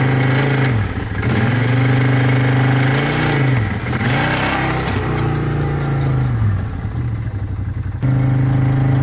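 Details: 2012 Arctic Cat Wildcat 1000 side-by-side doing donuts and drifting hard in snow: engine note climbs and falls cleanly through repeated hard revs, no misfire, knock or rattle; normal engine under load.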